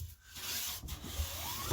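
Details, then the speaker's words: Clifton 5½ hand plane just after its tracking problem was fixed: light, even swishing strokes that briefly skip over the high points on the board. It is cutting cleanly and tracking true. "so as you can hear just skipping over the higher points"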